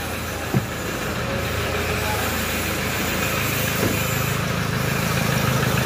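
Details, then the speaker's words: 2007 Toyota Hilux 3.0 diesel at idle: dull knock about three times a second under the clatter, first thought to be a connecting rod; teardown found a melted fourth-cylinder piston and burnt head, so piston knock. "Isso aqui é barulho característica de biela vai ter que abrir esse motor aqui pra gente ver barulho aqui para mim é barulho de biela"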